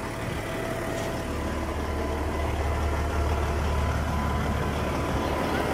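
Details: International truck with a Detroit diesel being built for 1000 hp, just after its first start in neutral following a reset; a deep, steady diesel rumble settles into an even idle with no knocks or misses, running normally.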